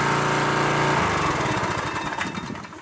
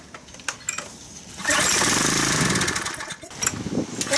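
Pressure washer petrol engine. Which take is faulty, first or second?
second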